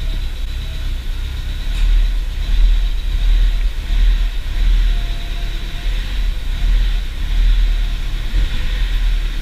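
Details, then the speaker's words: Audi TT MK1 under restoration, first start: low uneven idle with a faint irregular knocking tick from one cylinder; owner suspects a failing ignition coil causing a misfire. "j'entends un claquement ici j'entends un claquement j'ai l'impression que ça vient de quelque part par là là je me demande même si ça vient pas de cette bobine"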